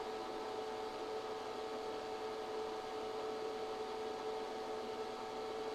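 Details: ChocoVision Revolation 2 tabletop chocolate tempering machine running the temper two cycle for dark chocolate, set temper point 88.7°: steady, even hum with a constant mid tone and no knocks or rattles. Normal running.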